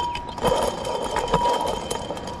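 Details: Ford 7.3 Powerstroke leaking coolant: removed water pump spun by hand gives a thin steady whir with rough scraping bursts and rust coming out; the water pump bearing is worn.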